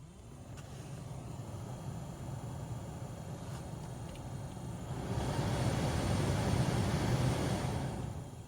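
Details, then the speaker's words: 2003-2006 Honda Element heater blower after removing the leaves that caused the noise: smooth, steady fan rush rising through the speed steps with no rattle or ticking. Normal blower operation after fix. "noise no noise now we just need to install the bottom plate put this back in and we're done"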